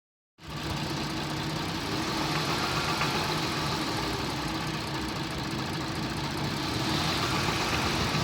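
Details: Toyota 1JZ-FSE engine at a steady idle with a dull tapping of about four knocks per second; the cause of the knock is unclear.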